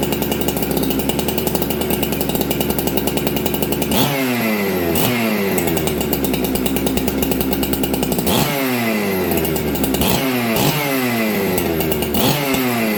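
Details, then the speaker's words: Ported Husqvarna chainsaw (266XP or 365 Special), first start in a year after sitting, new dogs fitted: steady, even two-stroke idle, crisp throttle blips, settles back cleanly and restarts well; healthy idle. "Again, restart. That's a good saw."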